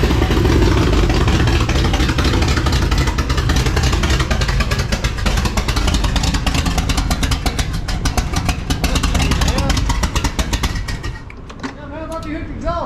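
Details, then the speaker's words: Engine's first start after a transplant: rough running with rapid sharp ticking puffs, about three or four a second; owner suspects an exhaust leak. "the battery pump yeah i might have an exhaust leak"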